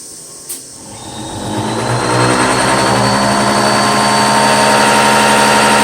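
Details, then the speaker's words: Bosch CPN5 common rail diesel injection pump on a test bench at 800 rpm, with spring-mounted drive and torsional damper: spins up, then gives a loud, rapid, regular hammering from the fast plunger rise; normal for this pump. "you know with this rapid rise you know of the pump up and down you know it's no wonder there's loud I don't want you to hear how loud this thing truly is this is 800"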